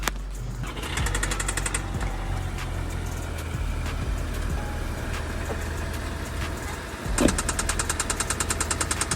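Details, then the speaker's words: Audi A3 8P idling with a regular light knock riding over it, sharpest at start and end; owner suspects bottom-end knock, at worst crankshaft, main and rod bearings, or worse damage; unconfirmed. "We've got bottom end knock, which is at worst a crankshaft, bottom end bearings and rod bearings."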